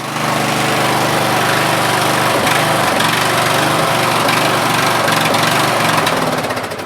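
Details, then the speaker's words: Craftsman LT1000 lawn tractor, 16 HP, 42-inch deck, first start after fuel lines, filter and shutoff replaced, on choke at full throttle: single-cylinder beat wavers and hunts; surging carburetor that won't stay running off choke. "okay so it does move forward I didn't get a chance to go backwards yet but as you can see it surges a little bit and it doesn't want to stay running other than choke"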